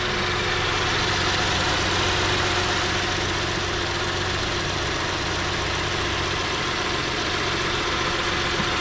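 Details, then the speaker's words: 2010 Ford Edge 3.5L V6 at idle after valve cover gasket replacement, first start checking for leaks: steady even idle hum, no ticking, knocking or whistling; normal idle. "sounds good yep I didn't hear any weird noises"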